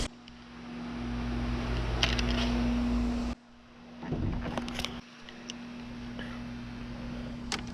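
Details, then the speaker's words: 2007–2012 Dodge Charger after welding repair of broken exhaust flex pipe and broken studs, started up to check: steady low idle hum, no ticking or puffing; quiet, exhaust sealed with no more leaks. "but stiff really quiet no more leaks so good"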